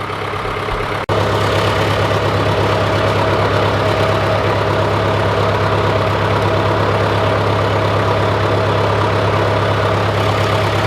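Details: John Deere 410C backhoe diesel started in winter after cleaning corroded battery terminals, warming up: after a brief catch it settles into a steady, even idle with a low unbroken thrum, no knocks or misses.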